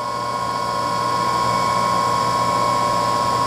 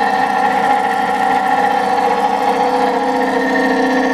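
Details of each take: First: Two-horsepower three-phase motor running unloaded on a homemade rotary phase converter for a voltage balance test: smooth even hum at steady pitch, no grinding or rumble; bearings sound good. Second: 20 hp electric motor, long stored in a barn and greased, started on a rotary phase converter: steady hum with constant rough gravelly grumble; bearings sound worn.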